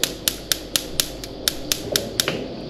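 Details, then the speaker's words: ASKO gas cooktop whose igniter keeps clicking after being turned on: sharp, even spark ticks about four times a second, tested before removing the top cover. "Here I'm going to show you by turning on the cooktop which is making a tick tick tick tick noise, as you have seen previously in the front video."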